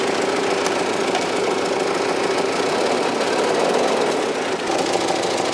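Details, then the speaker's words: 1995 Cadillac Fleetwood Brougham at cold start idle: rough rapid irregular chuffing instead of a smooth note; abnormal exhaust chugging, owner suspects a hole in the muffler. "yeah so that is a weird sound that it makes it shouldn't make be making that chugging"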